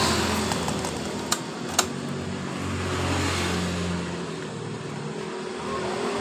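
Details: Yamaha Mio M3 scooter (complaint: hard starting, hesitating and stalling) idling steadily with an even hum and two sharp clicks after injector cleaning. Fuel pressure measured 40, judged normal.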